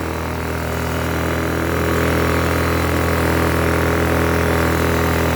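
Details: Blackridge 800 W inverter generator, about 2014, after running about 15 minutes, fuel problem earlier: steady, even drone at constant speed with no surging, hunting or misses; running normally.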